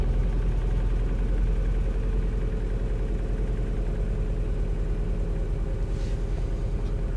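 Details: 2018 Vauxhall Corsa E, 10K miles, salvage repair, first start after sorting the wiring loom and clearing a knock sensor code: catches and settles into a steady, even idle with no knocks or misses. Normal idle.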